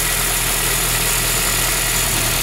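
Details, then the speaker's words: 2008 Honda Civic Si, heard at the engine bay: a steady, even idle hum with a soft hiss and no knocks or misses; it sounds healthy. "Rock doesn't sound bad for stock engine"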